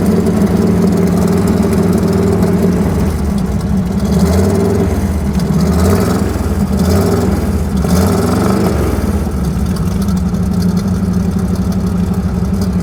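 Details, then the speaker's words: Cold V8 truck with worn rings and a choppy cam, idling after misfire fix: deep, loud, slightly choppy idle, steady with no stumbles, firing on all eight cylinders though running rich and burning oil. Normal idle. "it sounds like it's firing on all eight cylinders, even though it's dead rich and burning all kinds of oil."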